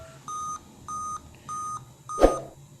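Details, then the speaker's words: Dell Latitude laptop at power-on, display appears: even high-pitched beeps about every 0.6 seconds, five-beep POST error code, with "reboot and select proper boot device" message shown. "you see the beep sound? 1 2 3 4 5. It's a 5 beep sound,"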